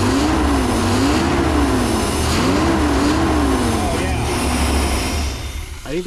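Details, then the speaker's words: Steady, smooth V8 idle on a 1992 Chevy G30 one-ton van with a 454 big block, after fuel-system work. Owner blames vacuum leaks for earlier issues and says it now sounds much healthier. "vacuum weeks are really causing some issues because that sounds way healthier sweet"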